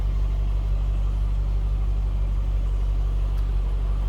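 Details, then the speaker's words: 2003 Chevrolet Corvette 50th Anniversary Coupe: smooth, even low rumble at a steady idle, no knocks or misses, nothing obnoxious; healthy idle. "And it doesn't sound like any sort of obnoxious"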